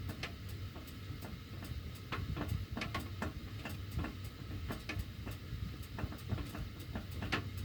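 Irregular sharp ticks and pops, several each second, over a low furnace hum; ductwork ticking while the heat runs, cause unknown.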